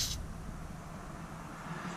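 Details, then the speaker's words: Boost leak test on a charge pipe with mig-welded joints, outlet covered to pressurise: short sharp airy hiss at start and end as air escapes at weld joints; boost leak, charge pipe to be pulled off for repair. "so when i cover that up and then i don't know if you guys can hear but i've got leaks there and there at some of the joints"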